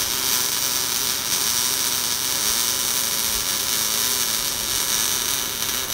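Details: Everlast Lightning MTS 275 MIG welder test run after a wire feed stutter/skip issue and tip check following Everlast's testing advice: steady, even sizzling arc with no stutter, pops or breaks over six seconds; wire now feeds smoothly.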